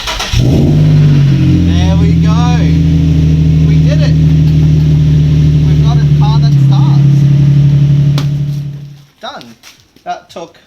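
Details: Nissan Z car after weeks sitting, freshly fitted secondhand starter motor: engine catches quickly and holds a strong, even run about eight seconds with no misses or knocks, then switched off.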